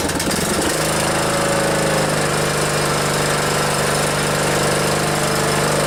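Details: Old Montgomery Ward (MTD-built) riding mower after weld repair of a worn blade engagement lever bracket that kept the safety switch from engaging and stopped it starting: engine catches within a second, then runs a steady, even chug with no misses or knocks.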